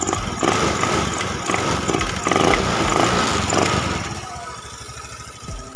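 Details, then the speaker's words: Honda Beat FI scooter with complaint of bogging, stumbling and cutting out under sudden throttle though fine when rolled on gradually, no MIL codes, low fast idle when started: quick blips pick up cleanly, no stumble, settle to steady idle; crisp throttle response. "langsung dapet dan langsung respon"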